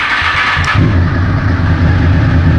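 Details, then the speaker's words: Honda motorcycle: brief starter spin, then fires within a second and settles into a strong, even, steady run; a healthy, reliable start. "little reliable honda they're real good yeah we're good"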